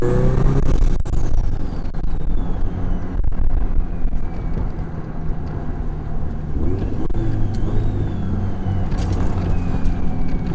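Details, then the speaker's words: Turbo FR-S, GTX3076, CX Racing header, Turbosmart 38mm wastegate, eBay intercooler with shortened piping, in-car hard pull: engine roar with rising turbo whistle over deep exhaust drone; overboost about 13 psi (previously 16), wastegate adjusted afterward. "all right so i'm hitting like 13 pounds right now which ain't bad it's a lot better than the 16 i was hitting prior to you know this video but i'm gonna pull over on the little side right here and adjust that real quick because that's crazy"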